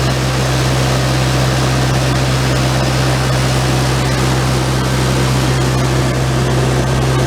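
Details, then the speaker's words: Generator engine with replacement oil-bath air cleaner and exhaust elbow, carburetor cleaned and float readjusted, set to 120 V AC, water temperature under 100 degrees: steady even drone with a strong low hum, reading above 63 amps, so the governor needs turning down. "It's up above 63 amps. So I'll have to tune it down."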